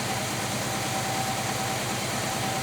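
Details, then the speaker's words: Abandoned 1966 Chevy Biscayne with a numbers-matching 396 big block, first start since 2003, some cylinders low on compression: a steady V8 with a low, dull, smothered exhaust note and little bark, very quiet at first; a plugged exhaust is suspected. "this thing was awful quiet when it first started now you can hear it a little bit you can tell it's got a weak one"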